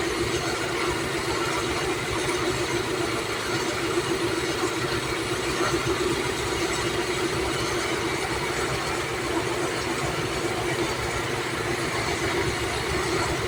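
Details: Toyota Corona (about 1996) after fitting the computer box and connecting the previously unconnected relay: smooth, even idle with steady firing and no misses or knocks over about fourteen seconds; normal idle.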